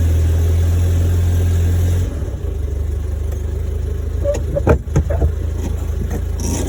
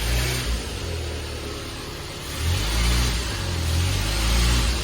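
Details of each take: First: 1972 Fiat 850 Spider, cold and not yet warmed up: lumpy uneven beat with irregular stumbles, worse when given gas; owner suspects accelerator pump. Rough running. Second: 1972 Fiat 850 Spider after timing adjustment, blipping the gas pedal: deep engine note climbs and falls cleanly with each blip, no misses or stumbles; normal revving response.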